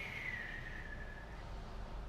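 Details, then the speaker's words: 2011 car with a downpipe fitted: a clear high turbocharger whistle slides down in pitch over a low engine rumble as the turbo spins down. "And the cool thing about this car That the 2011 When you put the downpipe on, the turbine starts whistling"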